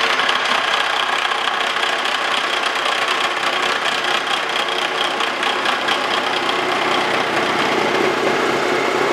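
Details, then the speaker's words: Wells Index vertical mill with face mill skimming antique wood lathe tool post holders: metallic cutting hiss with fast tooth chatter as cutter crosses a hole. Interrupted cut, teeth hitting both sides. "Then it gets over that hole, you start getting an interrupted cut. And you hear that noise. That's just that tooth hitting it on both sides."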